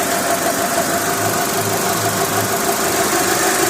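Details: Warm Mitsubishi 4G63/4G64/4G69 idling after timing belt replacement with Gates or OEM belt: rough, pulsing low buzz about three times a second like a dry roller, actually the stiff belt vibrating like a string; changing belt tension alters it.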